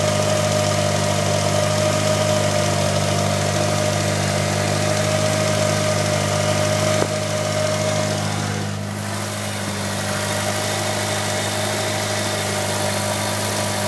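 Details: 1998 Mitsubishi Eclipse GSX idling steadily with a thin, high chirping tone riding over the low hum.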